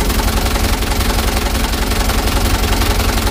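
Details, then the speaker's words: Mitsubishi Canter HDX diesel after Bosch injection pump calibration and plunger replacement, engine still cold: loud idle with a lumpy uneven beat about three pulses a second, shaking and revs rising and falling; rough idle, worse when hot. "hanya guncangan mesin di sini teman-teman ya Coba kita gas Dias mbet teman-teman dan pincang ini"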